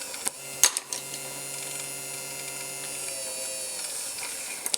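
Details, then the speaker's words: Innocraftsman mini drill press, screwdriver pushed into the exposed, loose drive belt as a safety test: steady small-motor hum amid handling clicks fades out near three seconds as the motor stalls. "And yeah, it pretty much stalls out."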